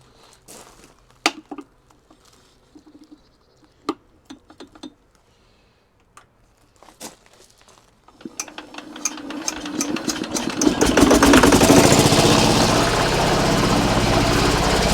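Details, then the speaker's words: Engine from an auction lot (plate says '45, possibly 1945, uncertain) starts easily after a few cranking clunks, settling into a steady, even chug of about four beats a second; owner worries it smokes a lot and may burn oil, oil pressure building. "so it starts up really easy I don't know how well you can see it"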